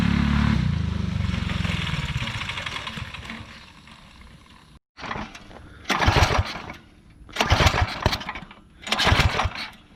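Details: Alcohol-fuelled 212 single-cylinder go-kart engine after about 3 months stored undrained: fires and runs, fades down, then picks up in strong rising bursts of revs; starts and runs fine.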